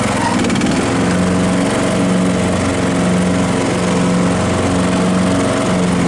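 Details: Craftsman L3000 riding mower after new blades installed, mowing a test patch to check cut level; steady, even engine drone with blades spinning, no knocks or wobble; running smoothly.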